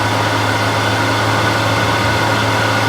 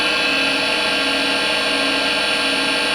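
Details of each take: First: Older wood lathe spindle running at about 1600 RPM, measured around 65 dB for comparison before a spindle bearing change on a new Harvey lathe. Steady, even hum with no knocks or grinding; normal running. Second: Harvey wood lathe spindle at about 1600 RPM, before a bearing replacement: steady high whine with ringing tones, no knocking, averaging about 64 dB, similar to an older lathe. Manufacturer recommended new bearings; bearings suspected, unconfirmed.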